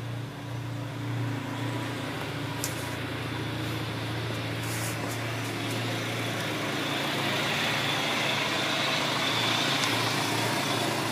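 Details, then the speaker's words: Ford Ranger warm petrol engine idling after Bardahl added for a noisy lifter: smooth idle with a faint light tick about three to four a second, still ticking a little but less than before; lifter tick at idle. "still hear it kicking a little bit but it's not as bad as it was"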